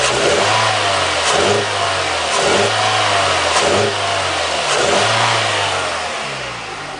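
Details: Toyota Echo with the MAF sensor unplugged: about five quick throttle blips rise and fall cleanly with no stumble, so the hesitation under acceleration is gone. This points toward the MAF, not confirmed.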